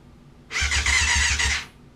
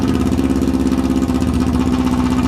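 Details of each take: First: 1994 Yamaha FZR600 sitting 15+ years, after replacing a blown main fuse: starter whines with slow labored chugs about six a second for a second then stops; battery too low to crank, later charged. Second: 1994 Yamaha FZR600 that sat 15+ years, idling without choke: the four-cylinder holds a smooth, even, low burble with no stumbling or misses. Revs hung when revved earlier, cause unknown.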